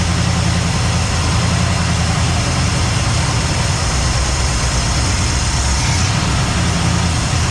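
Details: Cadillac ("Lil Debby") restarted after fuel-line hose clamps were tightened during diagnosis of a brand-new but failing fuel pump; steady, even low rumble with no misses, surging or knocks. Normal idle.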